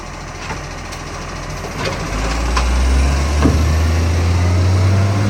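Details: Ryde Green Waste SL757 diesel: deep rumble swells as revs rise, with a sharp rhythmic puffing chuff riding on it, from a huge exhaust leak.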